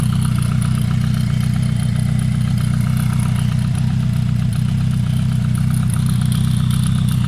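Cold four-cylinder idle with a light, fairly steady ticking clatter riding over the low exhaust drone; the source can't be pinned down.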